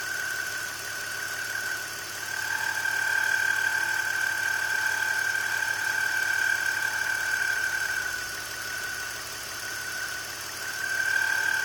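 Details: BMW E46 engine running with a steady high-pitched whine that wavers slightly in level, caused by a bad accessory pulley; replacing the pulley cured it.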